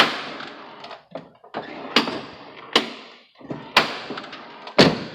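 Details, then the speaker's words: Jeep door before repair: the old door check strap still makes this noise even with new pins; the other doors are quiet. Loud clunks and pops about once a second as the door swings; broken, binding door check strap. "So this is the noise I hate. Yeah, I'm hitting on this, but"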